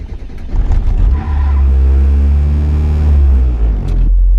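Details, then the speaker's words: Mazda MX-5 Miata, cold start, recorded inside the car after fitting 40% stiffer I.L Motorsport engine mounts: idling at 1100 rpm, smooth, quiet, steady hum with only very minor vibration. "it's idling at 1100 RPM, and yet you can hear me, I hope. It's much quieter and just way better."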